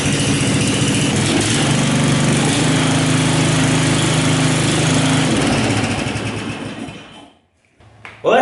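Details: 13.5 hp Briggs & Stratton flathead single-cylinder on an older Craftsman riding mower, after valve repair and valve lash adjustment: runs steady and even at a fast beat with no misses, then winds down cleanly when shut off; healthy.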